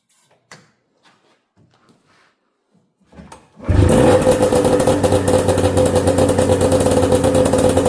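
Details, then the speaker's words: Snowmobile with a freshly rebuilt, newer two-stroke engine on its old exhaust; after handling noise it fires and holds a brisk, even buzz, running healthy. "Actually [music] sounds like it runs pretty good. This light does have a cool sound going from the newer motor and the old exhaust."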